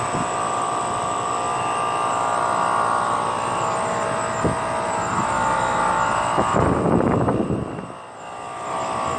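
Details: 2009 NuTone 2-ton 24,000 BTU heat pump outdoor unit: quiet at first, then a loud coarse buzzing rattle with a steady hum, an abnormal loud vibration noise; the owner doesn't know the cause.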